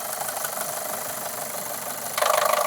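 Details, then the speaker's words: Used car bought as a £3000 daily driver, already showing a lumpy idle: rough idle with a busy metallic clatter, turning louder and harsher, diesel-like; suspected engine knock. "Oh shit. Is that the engine knocking? That's not good. I think we're going to have to investigate that further."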